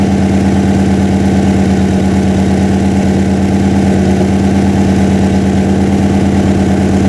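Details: Freshly built 406 small-block Chevy V8 in an S10, first run during break-in: even, steady idle with a smooth low rumble, no knocks or misses; normal idle.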